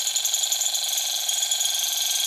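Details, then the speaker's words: Small Stirling engine on an alcohol burner with a kitchen-towel wick, running a bit slower on the lower flame: high, thin drive-belt squeak pulsing about seven or eight times a second. "It's running a little bit slower on the lower flame, but I think that's a good thing. Hear the drive belt squeak."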